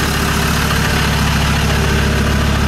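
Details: Land Rover Discovery 2 after injector loom replacement, checked for misfire and leaks: steady, even low idle with smooth rumble, no stumble or skipped beats; running cleanly on all cylinders.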